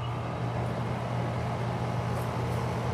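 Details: AC condenser unit that wouldn't cool, with cans left on it, after checking the compressor terminals: the compressor starts and draws about 7 amps, giving a steady low hum with an even tone and no clicking or rattling. Running normally.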